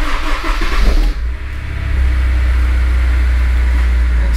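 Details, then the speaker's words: Honda S2000, cold start after new fuel injectors fitted, chasing high idle and misfire after a track day: catches quickly, steady drone, idle just below 1500 rpm versus about 2000 before, still a bit high; valve adjustment suspected. "the idols sitting lower even already cuz if you guys remember when we started up cold before was up around two grand we're just below 1500 and it's still cold so we might be on to something here"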